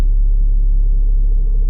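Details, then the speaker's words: Mitsubishi Galant idling with AC off, in drive or reverse: deep droning rumble and heavy vibration through the whole car and steering wheel, gone in neutral; bad transmission/engine mount. "but you can hear a lot of vibration you can even see the the steer and you can hear it look guys if I put her in neutral the vibration or that sound is gonna go away"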